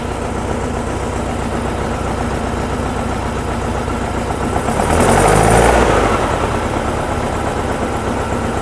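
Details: VW-based Porsche 356 Speedster kit air-cooled engine, test after remote oil filter over-pressurization repair. Oil pressure at 50 psi easing toward 45, no leaks, oil cooler warming so oil is circulating. Steady, even idle with no knocks or rattles; healthy.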